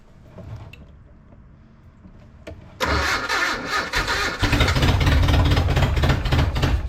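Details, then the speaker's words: Datsun/Nissan 720 King Cab 4x4 pickup, first run after sitting abandoned about 20 years: catches and settles into a lumpy, wavering idle; with 3 gallons in the tank and the fuel pump running, owner suspects the carburetor isn't pulling fuel and needs a rebuild. "It's running. Let's just take that as a victory. Definitely seeing a carburetor rebuild in my future because it doesn't seem to be pulling fuel, although we know we have 3 gallons in the tank and I can hear the fuel pump running."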